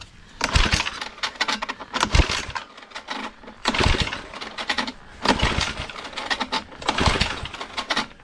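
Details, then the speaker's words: Cheap secondhand tiller with long-idle small petrol engine, broken choke control: repeated pull-start bursts, each a rattling spin with no firing at all; fuel supply or carburetor deposits suspected, starting fluid next. "Voilà, clairement on l'entend, ça pète pas du tout. Donc soit on a un problème d'arrivée d'essence, soit on a un problème de carburateur,"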